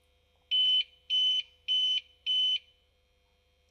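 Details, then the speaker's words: Used APC Back-UPS 500 converted to 12-220 V inverter with external battery, restarted during an outage, green light blinking and showing On Battery: four even high beeps about a third of a second each, 0.6 s apart over quiet hum, on-battery self-test. "якщо знову вмикнути Ось бачите зараз моргає Зелена і пише on Battery зараз він протестує сам"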